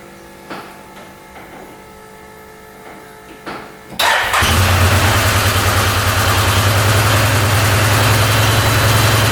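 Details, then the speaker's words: 2013 Arctic Cat Wildcat 1000cc UTV after valve covers refitted and timing reset: starts first try and settles into a strong, even, slightly high idle with both cylinders firing; oil burning off the hot pipe. "there we go she's running on both cylinders"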